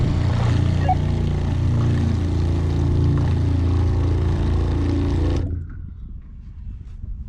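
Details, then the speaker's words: RV Shurflo water pump, kitchen cold faucet turned off after pressure switch adjusted half a turn; steady drone runs on about 6.5–8 seconds then cuts off, needs further adjustment. "Well, that was about 8 seconds, so maybe it needs to turn a little bit more."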